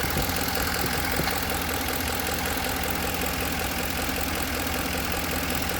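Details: 2010 Ford F-150 at idle with a faint, loosely regular knock about two to three per second under the engine hum; cause unknown.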